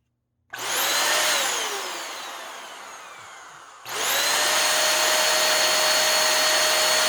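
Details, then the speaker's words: Hoover Air Steerable vacuum motor, cleaned and run on its own out of the machine, before any commutator polish: high-pitched whine spins down, then restarts and holds steady; owner suspects commutator or bearings. Rough-running motor. "so it didn't really sound all that great and i think we need to test this independently"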